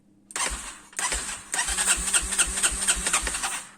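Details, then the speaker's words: Quad whose starter wouldn't turn (battery, fuses fine), after repair with a small part keeping contact: starter whirs in short bursts then engine catches with even chuffs about four a second; starting now works. "donc là ça marche bien, donc ça c'est cool, donc ça veut dire que c'est pas un gros problème, comme je vous avais dit."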